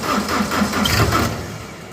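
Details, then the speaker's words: Plot combine's small diesel cranked on a good battery with no fuel pump fitted: quick even starter rhythm for about a second and a half, one soft cough, then dies without catching. "oh wow we even got a cough i'm gonna definitely say that the engine will crank over that's pretty awesome that is pretty encouraging we got a cough out of the little diesel engine"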